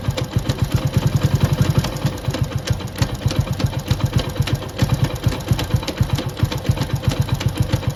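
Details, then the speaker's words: Motorcycle engine idling before repair, noise persisted through three engine openings: uneven lumpy knocking rumble with irregular clunks, output shaft jerking; damaged third gear teeth found, gear and parts replaced. "तो आप लोग देख सकते हैं कि यह जो output फफ्ट है वह कितना झटके मार रहा है इस तरीके से झटका मार रहा है और आवाज करता है अंदर से"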